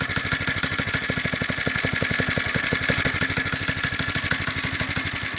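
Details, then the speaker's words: Normal idle of a Doodle Bug DB30 minibike's small single-cylinder engine after a few drops of 30W oil on the clutch. The steady, quick putter has no clutch grabbing or squeal. "then start it up let it idle and seems to work pretty well"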